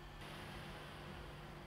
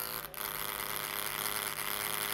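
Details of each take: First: MacBook Pro fan at default speed (speed adjustable with MC fan control, raised for Final Cut Pro editing or gaming): soft, even airflow hiss with no rattle, ticking or whine; normal quiet fan. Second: 2012 MacBook Pro laptop cooling fan running, before cleaning: steady high-pitched buzzing whir from a fan clogged with dust and old oil; noisy fan, fixed by opening the bottom case and cleaning the fan.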